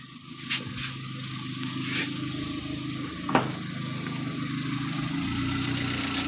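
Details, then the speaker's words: Chevrolet Spark with an idle speed complaint, after its electronic throttle body was removed, cleaned and set: fires, picks up and settles into a steady, even idle with no hunting or surging. Idle speed is now correct. "സൈഡിൽ ഇങ്ങനെ നിൽക്കുകയാണ് കുഴപ്പമില്ല slow speed correct ആയിട്ട് നിൽക്കുന്നുണ്ട്"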